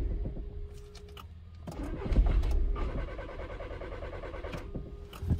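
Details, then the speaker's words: 2013 VW Jetta 2.0 TDI diesel, crank/no-start with cam sensor performance and signal codes, sensor already replaced: starter grinds, engine catches briefly and stalls, rarely stays running; start-stall from faulty camshaft sensor signal. "all right all right so that's pretty much what it's doing the occasional time it'll it'll start and stay running but for the most part it's just the start stall"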